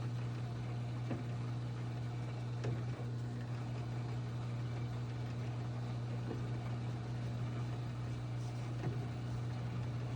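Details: GE Hydrowave washer after washer motor replacement (not-spinning fault): quick drain and spin gives steady, even low hum, no grinding or knocking; motor spins up smoothly; normal spin.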